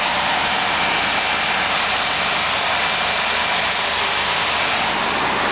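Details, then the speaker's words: 350 K5 petrol V8 cold start at about +1 to +2°C after 6 months of repairs: steady, even idle with exhaust hiss and fan noise, no knocks or misses; service engine soon light on. "fly away fly away it's working it's alive after 6 months of hard work"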